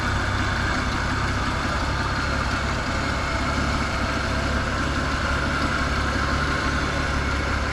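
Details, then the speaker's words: Holden HG Premier engine, back in the car after the car sat unregistered over 20 years, fire-up on fresh fuel replacing old stale tank fuel; started with a couple squirts of fuel, no throttle, smooth even idle, steady low rumble, no knocks or misses. "And idles, what a gem."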